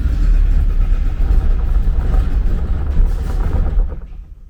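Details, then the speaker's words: 1979 Porsche 924 with battery put in, fuel pump heard running: uneven low churning from the starter for about four seconds, dies without the engine picking up; cranks but won't start, owner suspects out of gas. "yep so whatever is going on it's just uh like maybe it's out of gas"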